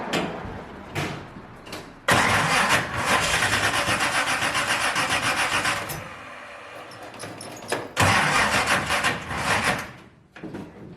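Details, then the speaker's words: 1971 Chevy Nova small-block V8, previously non-running, cranks and fires in loud, ragged, stumbling bursts after a distributor tweak; misfire noted, ignition timing found too far advanced, to be backed off. "definitely too far advanced so let's back that off"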